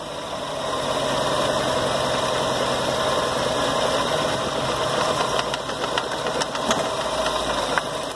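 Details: VW Gol at a busy idle: an uneven metallic knocking about three per second that appears when a cable is put back and disappears when it is removed; suspected timing belt that jumped one or two teeth after the engine stalled.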